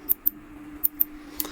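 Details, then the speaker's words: SCUF Reflex controller after repairing a failed R1/L1 shoulder button with hardened resin: five crisp, even clicks in under two seconds with no mushiness. The repaired button's switch actuates properly and holds up to hard presses. "chaque fois ça on entend bien le bruit on peut y aller on peut vraiment cliquer on peut appuyer fort c'est vraiment de la résine c'est solide donc aucun problème maintenant"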